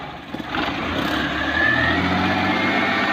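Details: Maruti Suzuki 800 with old carburettor engine, after repair of a crunching start noise traced to a worn flywheel ring gear: brief crank, then it catches and runs smoothly with no grinding from the starter. Starter bendix still due for repair.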